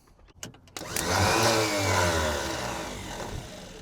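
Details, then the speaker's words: Abandoned Chevrolet C10 project engine, starter jumped directly with not all plug wires connected: a few clicks, then a light high whir that coasts down with no cranking beat. The starter spins freely without engaging the flywheel; either no flywheel or the gear isn't throwing out. "That means one of two things. Either there's no flywheel in there or the starter's not throwing the gear out."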